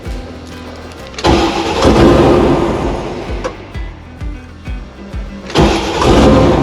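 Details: 6.2 LS V8 swapped into a square-body crawler on a Holley Terminator X after initial setup, fuel pump fuse reinstalled and idle reset: starter whirs briefly, then it fires, catches on its own, revs cleanly and settles; healthy start and run.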